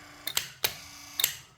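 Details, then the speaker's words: 1968 Cadillac Sedan DeVille power seat motor on the bench, gearbox removed, fed by a small 12 V battery through the seat switch: sharp relay clicks with faint motor whir between; motor works in all positions. "we'll go ahead and actuate the switch and you can hear hear everything clicking and"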